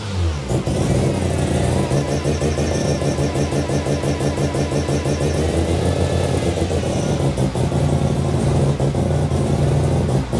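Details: New Mazda 13B bridgeport rotary, first start after build, injectors and igniter reconnected: long cranking to seal the rotors, then catches and revs into a buzzy rotary note, pulling strongly.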